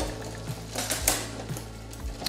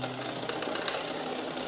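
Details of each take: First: Shimano Tiagra 10-speed road bike drivetrain, front derailleur trimmed, chain in the lowest gear: quiet freewheel ticking and soft chain clicks, no rubbing against the front derailleur cage. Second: Shimano road bike: fast steady metallic rasping of chain rubbing inner front derailleur cage; trimming the cage slightly silences it.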